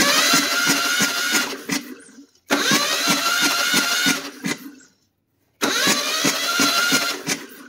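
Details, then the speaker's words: 1976 Chevy LUV with a worn, long-sitting engine, starter cranking during a compression test: uneven, lopsided beats with hissing air. The back two cylinders make no compression and air blows between holes; owner suspects the head and worn rings. "basically making no compression on those back two holes these two holes are down and they're down about the same so i don't think it's all rings"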